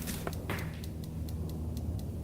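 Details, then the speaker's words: 2004 Honda TRX450R quad, first start after adjusting tight valves with new shims, started first kick using hot start: sharp evenly spaced cracks about four times a second over a low steady idle rumble; source unknown. "hear that it's like something cracking in there very strange"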